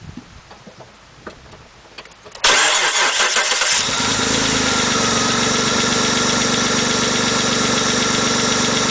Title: transmission weird noise now in neutral